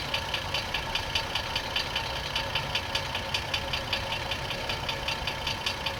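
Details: 2004 GMC Envoy 4.2L idling with transmission removed, belt off, new harmonic balancer, several flexplates tried: steady idle with sharp regular knock about 2.5 a second, not diminished; suspected rod knock, unconfirmed.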